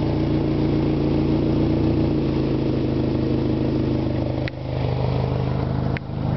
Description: 92 eagle talon tsi knocking sound from the front.